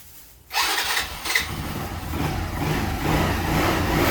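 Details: Daelim CitiAce 100 (CA100) motorcycle engine start test after replacing the leaking engine gasket: a quick crank, then it catches and settles into a steady, even idle that builds smoothly. Normal running.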